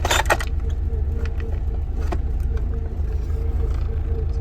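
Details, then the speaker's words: B-swap Honda CRX, cold start the next morning with new Hasport mounts: light metallic jingling over a low, steady idle, much less rattle than before. Main rattle source is loose screws in a cabin storage box. "it's a little rattly but nothing compared to what it was it's definitely a big change this is the main source of my rattles"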